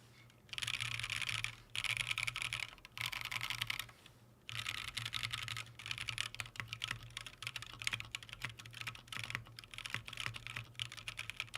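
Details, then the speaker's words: KeebsForAll Freebird TKL mechanical keyboard with numpad, fully stock, stock Green Snake switches: quick bright clacky keystrokes with hollow echoing ring and slight rattle from long keys; very hollow sound. "that's kind of like what I sort of anticipated this is being very Hollow sounding and I'm going to show you what that sounds like right now"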